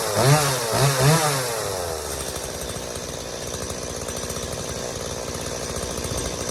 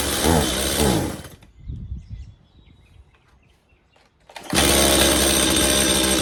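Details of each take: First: Stihl MS180C chainsaw that wouldn't start and bogged and died on throttle after sitting, now after a carb rebuild (new metering diaphragm and gasket, pump diaphragm and gasket): a few quick rev blips, then a steady, even buzzing idle with no bogging; fixed. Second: Stihl MS180C two-stroke chainsaw, long unused, with new spark plug, started on choke; revs briefly then bogs and shuts off at full throttle, runs high after restart; carburettor diaphragms suspected, fixed later by carb rebuild.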